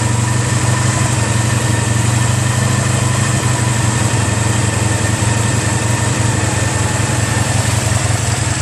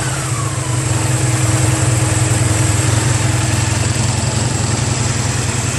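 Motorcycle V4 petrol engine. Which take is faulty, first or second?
second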